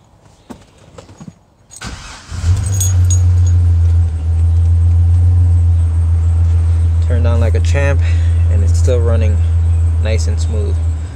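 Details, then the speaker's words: 2005 Chevrolet Silverado after new distributor cap, rotor and ignition coil for cylinder 1 and 2 misfires: it catches after a short crank and settles into a steady, even idle with no misfires; check engine light cleared. "no misfires and i've already gone ahead and cleared the check engine light"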